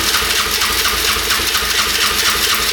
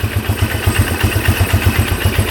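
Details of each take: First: 1997 Polaris Magnum 425 6x6 ATV single after carb cleaning: rough fast uneven running with sharp pops backfiring through the carb; owner suspects worn cam lobe. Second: 1997 Polaris Magnum 425 6x6 ATV (free, seller said it wouldn't run), idling with no pops or misses in an even single-cylinder thump; owner guesses an unprimed fuel pump had starved the carb, running lean, and it cured itself.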